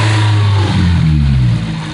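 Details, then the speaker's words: Nissan S14 SR20DET red top revved from idle; light tapping seeming to come from upper intake manifold, keeps pace with revs, fades near top; owner unsure if rod knock, bad lifter or both; engine tapping while revving. "i can't tell if this noise is getting worse or if it's a rag knocked or what's playing with developing"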